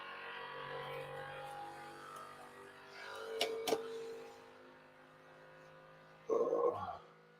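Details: Qidi Tech X-Plus 3 3D printer running its input shaper calibration during first setup: a low droning buzz with shifting pitch, then a short loud buzzing burst as the axes shake through the resonance test, which is normal.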